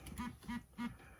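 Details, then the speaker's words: Orbit Writer braille keyboard: three short even vibrations about a third of a second apart, then quiet, signalling that no device is paired to that channel. "you can hear it do three vibrations which means there's nothing connected there"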